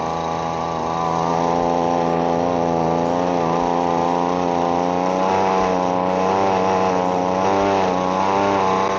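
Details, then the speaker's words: Recently repaired hand leaf blower that keeps flooding out, running with no choke: a steady high two-stroke drone that wavers and burbles instead of revving clean, still loading up rich, so the mixture set screws are turned in another quarter turn. "All right, it still sounds like it's loading up, so we're going to bring those set screws in another quarter turn."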